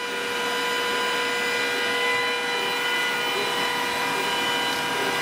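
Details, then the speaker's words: Glowforge laser engraver/cutter after 6 months of use, working sound while engraving or cutting: loud jet-like rush of air with constant whine, the normal roar of the strong integrated exhaust fan pulling out smoke. "the working sound is a lot louder and sounds almost like a jet engine and this is the sound of the machine when it's actually engraving or cutting"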